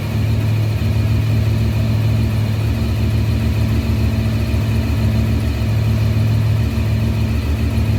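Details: 1993 Honda VFR750F, carbs cleaned, after sitting over a year: steady, even low burble at about 1200 rpm, no misses or knocks; normal smooth idle.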